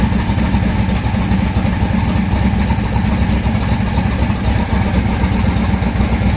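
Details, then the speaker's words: Austin's car during tuning, which earlier wouldn't idle but now idles by itself: lumpy uneven stumbling idle; misfire, one side showing no heat, cylinder not firing, coil, spark plug or injector suspected. "It wouldn't even idle. I couldn't make it idle. Now it idles all by itself."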